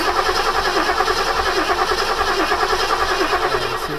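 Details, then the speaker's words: 1972 Ford Gran Torino 351C, last run November 2021, on a newly fitted remanufactured starter: starter spins the engine in a steady, even churning rhythm but it never fires; crank no start, owner suspects lack of fuel. "all right go ahead and crank it see if it'll fire nope yeah I knew it would run it's a good engine just gotta get some gas in it"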